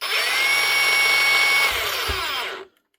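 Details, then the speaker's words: New Hikoki DH40MEY2 brushless rotary hammer in rotary hammer mode, using one of four speed settings: clean, steady high whine whose pitch steps down smoothly before winding off. Speed control is working normally. "And the other setting then is the rotary hammer mode. Now, because she's a brushless, she obviously has speed control."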